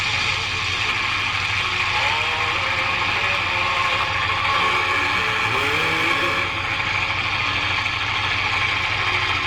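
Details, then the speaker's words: 1946-48 Sparton 6-26 broadcast/shortwave tube radio, first power-up after replacing components and tubes: steady hiss with wavering whistles over a faint broadcast, no clean station lock, interference from a fan and halogen lamps; needs alignment. "yeah it's definitely alignment got some interference from our fan that's on and our H hallogen lamps in here so if I was turn the light off that would go away"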